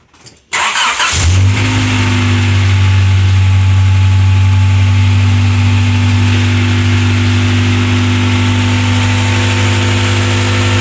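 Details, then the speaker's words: Honda Accord after timing belt job with all new belts, cooling system still to be bled: quick crank, short flare, then a smooth steady idle; engine starts and runs normally. "we've already started it so we know it's gonna run just fine"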